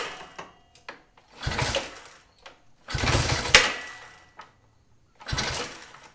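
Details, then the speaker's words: 1965 Honda CA77 Dream, first kick-start attempt after restoration: short harsh metallic bursts with each kick, sharp snap midway, engine never catches; owner suspects kick-start mechanism, fears engine damage, source unconfirmed. "sounds like there's some sort of like metal snapping noise you know uh it was doing it when i was trying to kick start it as well so i think it might be from the kickstarting mechanism or something"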